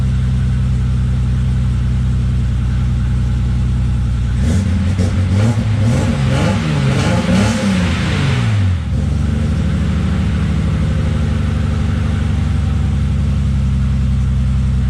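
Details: BMW E30 325is revived after sitting in the woods, fuel pump jumped off another fuse: steady even idle, then a clean rev up and down before settling; runs smoothly, missing fuel pump power suspected from main relay wiring.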